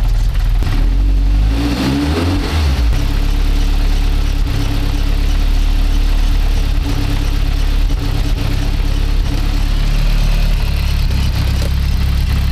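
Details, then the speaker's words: Engine after swapping a Garrett G25-660 turbo for a smaller G25-550 and fixing an exhaust leak at a loose EGT probe: it cranks, fires, blips, then idles steadily with no puffing or ticking and no leaks found. "well guys well it's done so turbo swap is done engines running again have a good check under is all up to Thames no leaks and everything so I think we are there"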